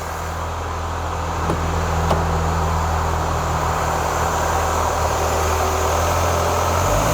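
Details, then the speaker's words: 2004 Renault Clio 182, first start after years; light top-end rattle over steady hum on a small rev, not a deep knock, bottom end judged fine. "that don't sound too bad I mean if it was like big ends crank anything like that it would be a lot more rally that sounds all right to me there's something up the top here"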